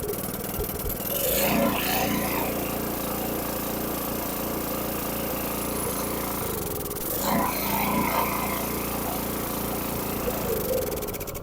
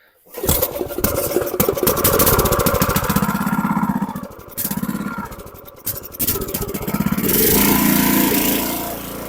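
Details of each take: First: Briggs & Stratton 6.5HP single on a water transfer pump, after a carburetor clean for a gas leak and gas in the oil: it chugs unevenly and runs only on choke, traced to a damaged bottom main jet, later replaced. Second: Briggs & Stratton 6.5HP single-cylinder engine on a water transfer pump, after carburetor removal and cleaning, a new jet, a new air filter and draining fuel-contaminated oil. It fires quickly and runs at a steady, brisk putter with only brief speed dips, running properly.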